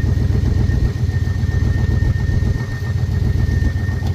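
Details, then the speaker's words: Square-body dump truck after sitting 10 years, after freeing stuck carb float and new gasket: deep steady V8 burble, even lope, no misses or knocks; normal idle. "all right there we go got her back together sitting here idling we didn't do anything else to the car but get the float done stuck and throw a new gasket on it"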